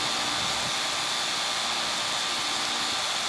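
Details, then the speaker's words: AC condenser, capillary tube mismatched system with restricted return air, previously tripping its breaker; set to 25.3, suction line 54 (was 32): steady fan rush over smooth compressor hum, no knocks or surges; normal compressor running. "25.3. That's about the best I can get it. It's running."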